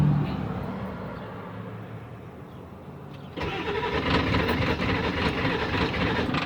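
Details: 1997 Ford F250 7.3 diesel, fuel filter already changed, starting spray used: starter churns steadily, louder cranking, but it never catches; owner suspects fuel pump, unconfirmed; crank no start.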